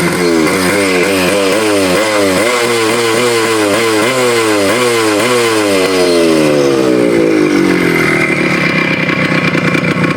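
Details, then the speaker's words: Suzuki Shogun two-stroke with 1.25 oversize bore piston that seized again: buzzy engine revving up and down in quick blips, no knocking or usual seized-bore noise; owner will keep riding, rebuild if pickup drops. "ಏನು ಮಾಡೋದು ಇವಾಗ, ತಿರ್ಗಾ seize ಆಯ್ತು ಇವಾಗ. ಆದರೆ sound ಅಷ್ಟೊಂದು ಇಲ್ಲ."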